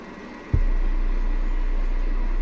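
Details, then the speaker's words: Repaired Ashley LF18 V400 18-inch subwoofer with new 2-saff voice coil playing 30 Hz test tone, cone moving fast; deep steady hum with no rattle or buzz, plays cleanly. "Nah, ini daunnya geraknya cepat ya di 30 Hz."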